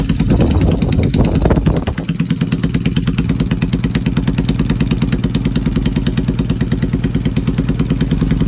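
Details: Yamaha XS650 on an old Hitachi TCI ignition: uneven, lumpy idle with about three pulses a second and occasional dropped beats; engine misfiring, cause not confirmed.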